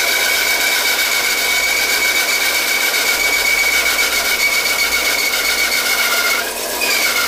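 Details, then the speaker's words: Homemade wooden bandsaw built from stacked, glued 1x4 pine, cutting wood. Harsh, raspy whirring with a high ringing tone; the blade was bent by feeding too fast and jamming it, and only partly straightened afterwards. Bent bandsaw blade noise. "you can hear the blade making noise because uh I didn't get it on video but I tried making it cut a little too fast I just jammed it into the blade and the blade got bent"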